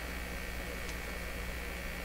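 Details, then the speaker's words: Westinghouse Model 1029 multiband tube radio powered from a shop supply at 150 V B+, about 25 mA, current jumping: faint steady low hum and buzz under hiss from the speaker; speaker hum, possibly a received buzz, source unclear. "it's 150 volts and it was jumping around a bit what was that i just jumped a bit 25 milliamps you can hear the buzz"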